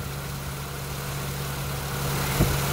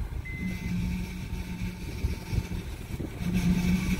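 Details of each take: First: An Acura TL/MDX after its power steering seals were replaced and Honda fluid refilled: smooth engine idle with a faint steady hum. The previous pump whine is gone. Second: Acura TL/MDX cold start: steady low whine over idle from power steering pump, caused by its seals, not a failed pump.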